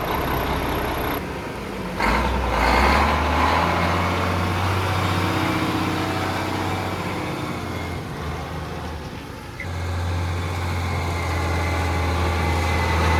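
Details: Mack Superliner diesel running after engine repair: low diesel thrum holds even under some background clatter, no ticking or knocking. Sounds healthy. It previously blew white smoke (fuel pump suspected) and blew black smoke on restart.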